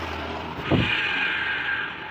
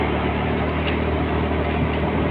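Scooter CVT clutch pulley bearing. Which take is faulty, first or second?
first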